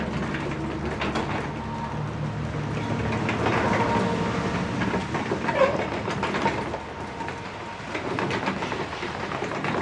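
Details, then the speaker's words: Original wooden garage door on a 1963 garage, tested after repair with the panel reinforced and plexiglass replacing the windows. A continuous rumble with irregular clattering as it travels comes from the plexiglass moving inside the panel: panel rattle. "But actually, the noise that I hear is the plexiglass moving around inside there."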